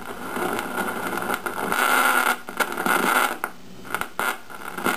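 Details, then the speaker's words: 1953 GE 548PH tube radio alarm clock on 120 volts, volume slightly up; irregular scratchy crackling bursts over the hiss, internal rather than atmospheric, attributed to leakage across IF can capacitors upsetting tube bias. "weren't getting any of that through that other radio it's not atmospherics that's internal"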